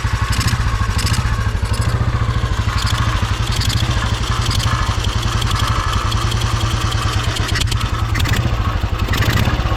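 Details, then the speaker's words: Royal Enfield 350 Bullet, iron barrel, composite head gasket failed, cold engine started with choke; single-cylinder thumping with sharp puffing chuff each firing stroke as compression escapes, worse when opened up, oil leaking; blown head gasket. "it's got no [Music] compression you can hear it blowing right still running still running if I open it up you can hear it"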